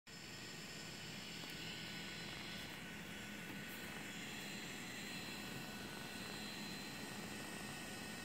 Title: Phantom 3 Loud Fan